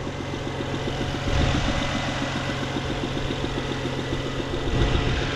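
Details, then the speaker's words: 2007 BMW 335xi with 180,000 miles at cold idle just after startup: quick light, fairly even ticking over the idle; odd noise whose source isn't pinned down, believed common for these cars and not harmful. "That's some noise, but from what I understand, this is a common noise. It's not a detrimental noise. It's something these make."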